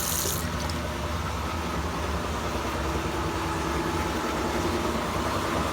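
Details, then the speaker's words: Sears Kenmore laundry center washer running, lid closed: constant heavy rumble and grinding drone like a train rolling by, continuing as it slows after stopping; tub bearing worn out and loud. "like listen to the noise every time when you're running the washing machine you can hear how loud the bearing was of course"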